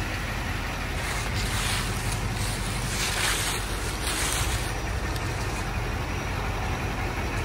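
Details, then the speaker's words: 2006 Chevrolet Silverado 2500HD LBZ 6.6 Duramax diesel, 91,301 miles, fully serviced, start and idle: steady low diesel rumble running evenly without misses, knocks or odd squeals; healthy engine. "go ahead and fire this lbz up so we can hear it start"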